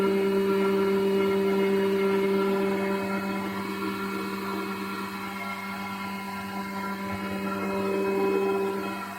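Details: Wood planer running after a drop of oil was added to ease it, once the fix was judged a win: steady, even motor hum at constant pitch, no knocking or grinding; running smoothly.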